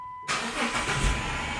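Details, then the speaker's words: 2006 Chrysler 300 that won't start until the lights are left on and a small red dash light goes out: once the light goes off it catches quickly and settles into a steady, even idle with no stumble. "it starts right up where I was like a champ I just always got do that"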